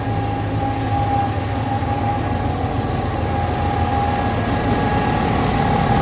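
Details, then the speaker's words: C10/C3500 truck after installing a rebuilt Harrison A/C compressor and charging the system: steady idle with a smooth, even compressor hum and faint constant tone, no knock or grind; engine around 200–205 degrees, compressor running and cooling. "The temperature is running right around 200, 204, 205, and the air compressor is is actually running and cooling."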